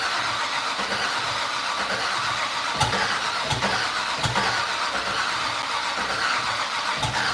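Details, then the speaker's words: Fatsun (Datsun), first start attempt in 3 years: steady starter whirr with faint click about every 0.7 seconds, no firing; fuel smelled, spark and return line to be checked; cause unconfirmed. "I smell fuel so we're getting fuel for sure let's make sure all of our spark is good go check the return line and make sure there's a stream coming in"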